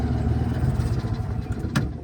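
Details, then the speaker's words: Edsel V8, tank flushed and fuel pump replaced, run with wheels blocked up: uneven lumpy run with a wandering low beat and brief sputter; owner suspects a fuel delivery issue, behaving differently under load. "Yeah, I think there's definitely a fuel delivery issue. Uh, and it behaves different under load."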